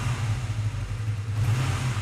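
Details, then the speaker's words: Used motorcycle in a dealer showroom, standing unused for ages: engine runs with a steady low beat, slight valve rustling and smooth pickup, with no knocks, rattles or exhaust smoke. "it really does seem sound this does and the pickup's very smooth as well it seems a very neat bike"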